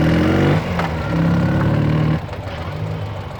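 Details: 2009 Ural Sahara Limited Edition 2WD sidecar, carbureted twin, under 9,000 km, kick-started without enrichment shortly after running, chilly day: low, even thump at a steady idle speed, no misses or knocks; idling cleanly.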